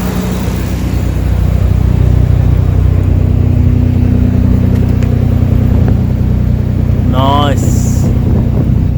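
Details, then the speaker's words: Nissan 300ZX Z32 twin-turbo manual, unused 17+ years, just started after new correct-spec spark plugs cured a cylinder four misfire; not yet warm: smooth, even idle hum, steady beat, no stumble or miss; normal idle. "sounds beautiful at the moment doesn't sound like it's missing it sounds sweet so far"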